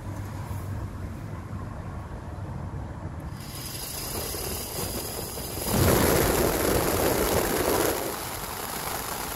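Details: 1981 VW Rabbit (MK1) A/C heater blower motor, failed from bad bushing, after disassembly, cleaning and rebuild, reinstalled; smooth steady fan rush stepping cleanly to louder speed and back, no squeal or rattle; blower runs healthy after repair.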